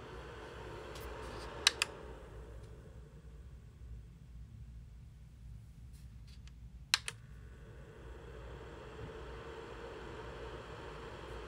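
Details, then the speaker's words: Sabrent USB 3.0 4-bay drive docking station's built-in cooling fan running with two SSDs connected to an M1 Mac mini: soft, steady airy whoosh, a bit loud, no pulsing or rattle, with a couple of desk clicks; normal fan noise. "so this is what the fan sounds like it's a bit loud but i guess i'm just used to the m1 mac mini being so"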